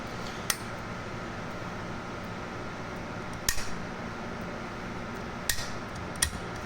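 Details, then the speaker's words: PAL 200MDX linear amplifier, still uncleaned, first power-up after fixing a bad ground wire: thin steady buzz under clinks and a fan as switches are flipped; transistors oscillating to make high voltage, a good sign. "That buzz is actually a good sound. That buzz is actually a good sound. That means the transistors are oscillating and giving us some high voltage."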